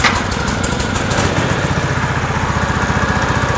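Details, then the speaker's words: 1970s PUG UTV small engine running after a first-pull start on choke. It goes from uneven to a steady chug of about 2.5 beats a second as it warms; it runs fine. "ah it needs to warm up a little bit it literally started first pull that's impressive"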